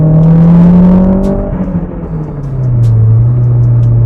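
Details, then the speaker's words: Toyota MR2 with Gen 5 3S-GTE swap and S154 transmission, pulling hard: droning tone sags as revs drop through second gear; gearbox dislikes second, owner unsure whether synchros. "Now you can hear that this car really doesn't like second gear. It is by no means a fan of second gear."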